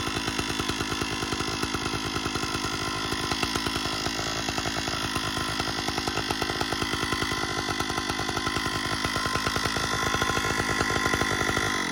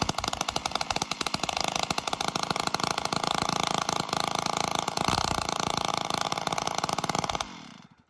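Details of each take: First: 056 AV Super chainsaw at a steady high buzz with a harsh metallic rattle riding on the exhaust note, then shutting off; the cause was a loose muffler deflector, with the conrod and crank bearings found fine. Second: Stihl 056 AV Super chainsaw after strip-down, no muffler, running on choke: fast crisp two-stroke crackle at high revs, steady with no clank, only faint plasticky rattle thought to be the starter; normal running.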